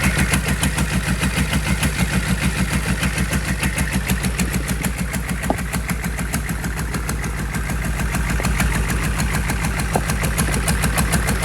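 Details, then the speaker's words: Rebuilt GEP/Navistar 6.5 diesel, Stanadyne DB2831-4911 pump, warm around 180-190°, full throttle: deep, even clatter held at top revs until fuel limits rpm, steady firing, no stumble or knock; healthy. "That was full throttle. Pretty much every time I've been raising the throttle, it's full throttle. You can tell when it starts running out of fuel, the RPM stop going up."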